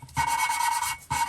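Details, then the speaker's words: Hillman Imp 875cc, head gasket job, lapping original valves with carborundum grinding compound and WD-40: two bursts of dry, even rasping that smooths and sounds nicer as the seat contact improves; valve lapping. "you can hear it as the contact area gets better. It starts to sound a bit nicer."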